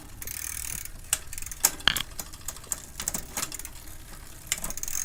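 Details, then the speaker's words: Team Fuji road bicycle, drivetrain after the rear derailleur was cleaned and the cable re-tensioned to cure a loud cricket-like squeak: light freewheel ticking and chain clicks, with no squeal, running quietly and smoothly. "all right so I think we solved that by cleaning the rear derailleur"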